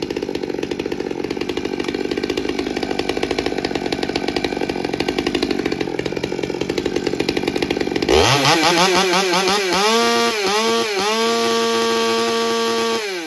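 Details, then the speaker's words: Stihl MS200T chainsaw after repair of aftermarket tune-up kit parts (intake boot, carburetor, fuel filter; new fuel line), dry-carb cold start on choke: two-stroke fires cleanly and holds speed without sputtering or hunting; running normally. "all right dry carb cold start in a perfect world it's usually like the fifth pull on on choke that sounds better already"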